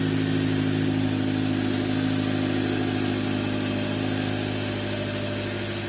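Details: 2013 Dodge Dart 1.4L MultiAir turbo, first start after timing belt replacement; smooth, even idle with a steady hum and no ticking or knocking. Sounds pretty good.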